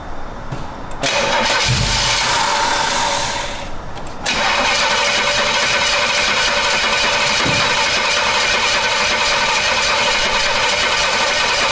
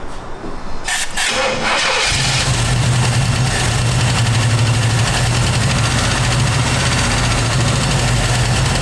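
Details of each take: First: Camaro engine cranks, catches, then runs with loud uneven clattering from the top end; valve cover pulled revealed bent pushrods, which should be straight, causing the racket. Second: Classic V8 car with a no-start, after tapping on the starter: a couple of seconds of cranking, then it catches cleanly and settles into an even, steady idle; normal start and idle.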